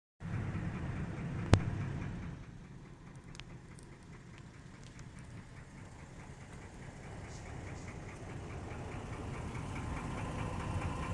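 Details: 2003 Mercedes E320 W211 with M112 petrol V6, idling: light, fairly regular knock of about three to four beats a second. Recent oil change and timing chain tensioner replacement; additives didn't help; accelerates smoothly. Cause unknown.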